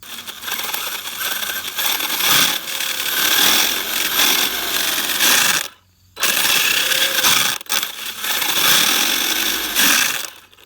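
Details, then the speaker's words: Arrma Kraton EXB RC truck during bashing on steep rutted hill: rapid sharp clicking and ticking under motor whine, varying with throttle, seemingly from the rear differential; later loses rear drive. "the thing's already clicking like crazy and it sounds like it's coming from the rear diff"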